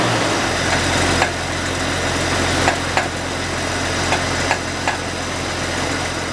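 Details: Jeep XJ (Wagoneer Dana 44 axles) idling after cleaning the idle air control valve and throttle body to cure stalling: steady, low, even idle holding without hunting or stalling, only a few faint ticks over it.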